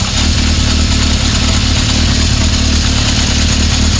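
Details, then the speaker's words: 1976 Honda CB750F1 four-cylinder at idle after carburetor balancing: lumpy idle with a light, uneven chattering rattle over the exhaust thump; worn cam chain, noise goes away at 2000 rpm. "You're never going to get rid of that noise, the chain's worn. But again, like I said, you pick it up to 2000 and the noise goes away."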